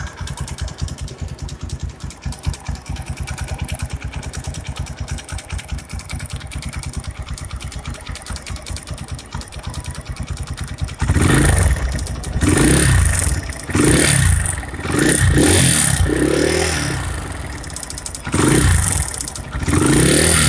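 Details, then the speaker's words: Kawasaki KLX single-cylinder with rough engine: rough rapid clatter ("kletek-kletek") at idle, then loud rev bursts; teardown found very loose, heavily oversized worn piston; piston slap. "Pada kesempatan kali ini datanglah pasien motor.klx ya kata Masnya yang punya itu untuk suaranya itu kletek-kletek"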